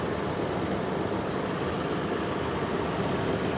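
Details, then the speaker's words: 2022 Toyota 4Runner, a year old, lifted, engine idling: low, even hum with no knocks, ticks or whine; solid, clean, healthy engine. "solid as a rock no problems at all right there this is a clean engine too wow"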